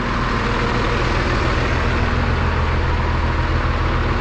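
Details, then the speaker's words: 5.9 Cummins diesel after a swap from a P-pump engine to a VE-pump engine that had sat 15 years: deep, steady idle rumble, even chugging with no misses or knocks. It starts easily. Healthy normal idle. "Well, she sure just runs good, runs really good, and I'm so happy that it cleared up."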